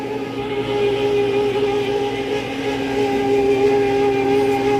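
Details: Prep table refrigeration fan, C-frame motor: steady high singing tone over the fan hum without wavering; technician guesses a failing motor bearing, motor then replaced with a C-frame motor kit.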